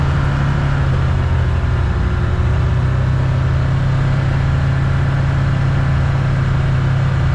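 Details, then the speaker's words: 2022 Can-Am Commander 1000R test drive after wheel bearing replacement with a Super ATV Ultra Tough bearing: steady low engine drone at speed. The earlier chattering and screeching is gone; bearing sounds healthy. "Take her for a test drive then. Before it make an awful screeching noise whenever you get up to speed. Nothing."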